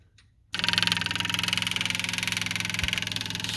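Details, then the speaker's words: 1975 Porsche 914 1.8L, testing the fuel pump that came with the car: fast, steady electric ticking with a whirr that gets quieter once pressurized, but fuel only dribbles out. Weak pump with completely inadequate flow. "you can hear when it pressurizes it gets a lot quieter"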